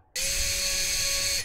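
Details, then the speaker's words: FPV quad motor tested individually after being moved away from the capacitor it was hitting: a short burst of clean steady high whine with no scraping or ticking. Normal, freely spinning motor. "let's take it away from the capacitor and try that again oh that sounds very nice"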